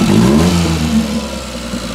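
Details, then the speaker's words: Daihatsu Hijet 4x4 mini truck, 660cc three-cylinder, after valve adjustment with the cover back on. It revs up and drops back smoothly with no valvetrain ticking, running far better; slight chatter on throttle the owner believes is normal. Normal engine revving. "so I'm not sure if you guys can hear this through the video or not this thing is running a thousand times better now purring like like a kitten"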